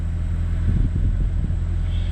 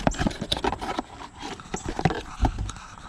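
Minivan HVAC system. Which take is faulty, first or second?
second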